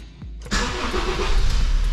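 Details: 2008 Honda New Civic cranking: heavy, labored crank dragging as voltage sags from about 12.1 V to around 10 V and below under the starter; battery suspected faulty.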